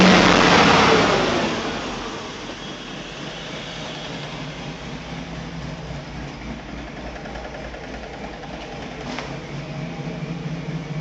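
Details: 1974 Chevrolet C10 with LS-swap V8 idling rough and uneven, running on only four cylinders; cause was a loose ground wire for the ignition coils.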